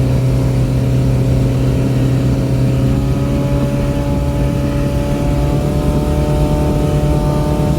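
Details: Boat outboard, back on after repairs, trimmed and run wide open on the lake near 5000 rpm and about 50–52 mph, above its 3500–4000 rpm cruise; mic behind the windshield. A steady high-rev drone with no misses or surging: a normal wide-open-throttle run.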